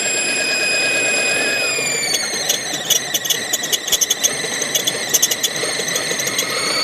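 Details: 2002 Mazda 626 running: steady high-pitched squeal from the engine bay, dropping slightly in pitch partway through. Source of squeal unknown.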